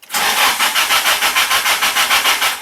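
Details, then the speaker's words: Toyota 4Runner with a freshly swapped SR engine, first start attempt: steady cranking at about six pulses a second that never fires. There was no fuel because the engine control/fuel pump fuse was missing. "So Pat and I figured out, tried to start it, it didn't start, but it did crank over. I wasn't getting fuel, the fuel pump was to turn on."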